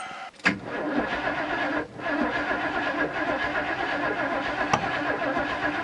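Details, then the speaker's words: Engine with ignition disabled so no spark: steady even starter churn with no firing for several seconds, cranking to build oil pressure and prime fuel to the carburetor; normal cranking, oil pressure came up. "I shouldn't get any spark and I should just be able to crank it to build up B pressure and to send fuel up to the carburetor to Prime so I'm going to do that now"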